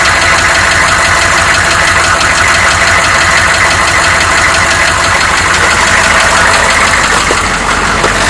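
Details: 1993 Chevy dually 6.5L turbo diesel 4x4, cold start without block heater, smoky, then revving: rough, uneven clattering knock about three beats a second over the engine; source unclear.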